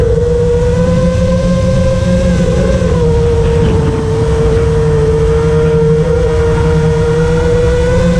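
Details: FR7 FPV quad after tuning with D-min removed, Iterm relax cutoff 10, RPM filter on: clean steady motor whine near one pitch, slight wavering, no raspy carbon-like resonance that D-min had caused; motors sound healthy.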